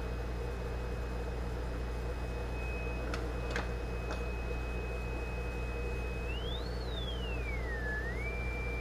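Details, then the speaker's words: Zenith 4-B-231 radio speaker (49-191AB), audio generator signal fed in: thin steady tone sweeping up and down cleanly; speaker output working. "all right let me flip on the audio generator again you may be able to hear that very faintly we're generating a signal about 400 Hertz"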